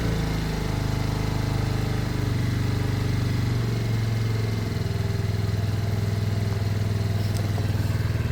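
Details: Lexmoto Michigan motorcycle after carb swap, warming up: smooth, even low throb holding steady speed with no misses, knocks or rattles; running cleanly.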